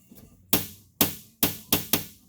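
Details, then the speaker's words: 1956 Plymouth Fury, restored with rusted floor near seat track: five sharp ringing metallic pops as floor sheet metal flexes when sitting in seat, persisting with seat removed; suspected floor pan oil-canning, fix planned by adding screws. "because what it's doing is when the when you sit in the seat and it flexes the metal down the metal is popping like this"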